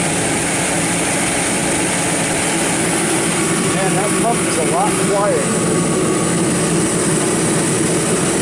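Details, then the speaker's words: Kerosene torpedo heater, seven years old, after service for hard starting blamed on fuel left over winter: steady even roar of fan and burner, no knocking or pump rattle; pump now much quieter, running normally. "so this pump is a lot quieter that's one thing I wanted to mention to you guys"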